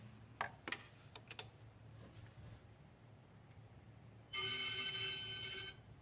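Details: 2013 BMW 535i M-Sport, 26,400 miles, parked with engine off 20–30 minutes: steady flute-like whistle from the engine area about 1.5 seconds, from the failing AC compressor; replacing the compressor cured it.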